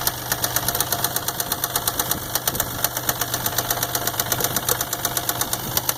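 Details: 1999 Isuzu engine at idle: steady, crisp bottom-end knock about three per second; owner says either the main or rod bearings are shot.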